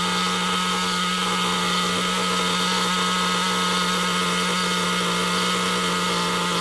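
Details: Nitro RC car engine at idle after the tick-over screw was turned back out, because tick-over had risen from low-speed needle adjustment. Steady, high-pitched buzz holds an even, settled idle without hunting or surging; idle speed now set correctly.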